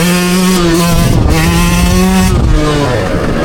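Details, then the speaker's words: 2024 Yamaha YZ125X two-stroke with Stic Super Torque X2 40 mm carb, Apex 110-octane head, Boyesen reed valve, 500 ft elevation: crisp wail climbing hard through gears, fourth-gear wheelie, no bog; clean full-throttle acceleration. "That was 4th gear. It just ripped the wheel off the ground. It's never done that since I've owned it, period."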